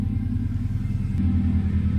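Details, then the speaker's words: 1997 Subaru GC8 with STI engine swap, after warming up a little following first start in a long time: idle drops from high to low even rumble, no ticking, hiss or misses; idling fine. "ah there it goes now it dropped a little bit"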